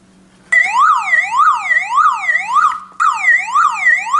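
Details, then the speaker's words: Toyota Camry hidden alarm siren unit with its own battery pack, black cable plugged back in: a loud siren sweeping up and down about every half second, cut briefly then resuming; the siren is sounding and working. "And then when I like to again listen to this music, I only insert that this black cable back, and we have nice music again."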